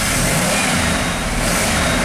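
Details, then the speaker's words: 1988 Ford F350 dump truck, 5.8 V8, running rough after over 10 years' storage: loud full roar under throttle pulling evenly; misfire clears under load, seeming to fire on all cylinders. "it does it does seem to run in all cylinders when I floor it or you know give it some throttle"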